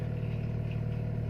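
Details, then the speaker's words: Timor DOHC engine, cold morning: idle held around 1200–1500 rpm until reaching full temperature (about 800 when hot); smooth, even low hum, no knocks or misses; normal cold fast idle. "Hai Bisa Rp1.500 bisa juga 1200 lebihnya pada saat mesin belum mencapai suhu maksimal"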